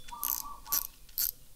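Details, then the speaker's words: Fishing reel clicker after repair: broken original click spring replaced with steel strip cut to size, previously silent; spool turned by hand. Three short bursts of crisp, fast clicking; clicker clicks clearly and works properly. "เรียบร้อยนะครับน้าๆเสียงเพาะเลยครับถ้าเป็นเอ่อสายเอ็นเราดึงมันน่าจะกล้องเอ้ยเสียงดังกลาวนานกว่านี้เนาะอย่างงี้เลยครับ"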